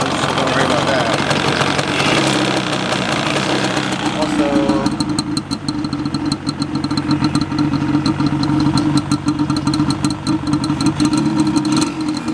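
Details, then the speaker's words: 2002 Yamaha Banshee 350 two-stroke: rough, rapid popping idle with a low grumble underneath and white or blue smoke; owner suspects a bearing, possibly from earlier tampering, not confirmed. "you hear like that I don't that supposed to sound like that like grumbling the type of noise in there"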